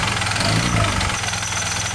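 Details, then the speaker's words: Honda Vario carburetor scooter idling after fitting a Proper kevlar V-belt and double clutch bell: light, quick ticking over the steady running sound, attributed to damaged connecting rod bearing and rod. "Nah, bisa kalian dengar kalau motor saya itu agak sedikit ngetrik ya, atau ngetrek suaranya. Karena ini ada kerusakan dari bearing stang seher dan batang sohornya juga gitu."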